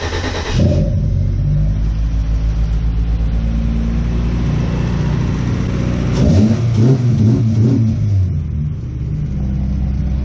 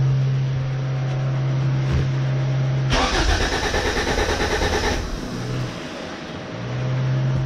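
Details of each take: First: Honda B20 VTEC engine in a 99 Civic, after replacing the aftermarket fuel pump and restoring fuel pressure: cranks, fires and settles into a steady idle, then revs up cleanly and drops back smoothly; running properly. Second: B20 VTEC engine after fuel filter cleaned, fuel pressure still low (about 20%); long hard cranking, then catches and stumbles with uneven, lumpy beat before sagging; rough running, cause not confirmed.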